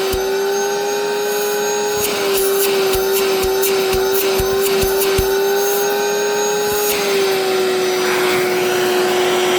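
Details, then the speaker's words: Mid-to-late-1980s Electrolux 2100 canister vacuum, hose removed, power nozzle sounding fine: steady high motor whine with irregular clicks and rattle bursts, louder and rougher than it should be; owner unsure if motor is failing or a louder replacement. "But the vacuum, I don't know. It don't sound too hot in my opinion."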